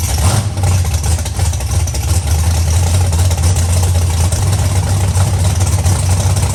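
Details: Big-block Chevy Nova V8 first fire-up after updated ignition and nitrous control: deep, steady low rumble with an even lope, no knocks or misses. It runs and sounds good, nitrous system and wiring work; normal idle.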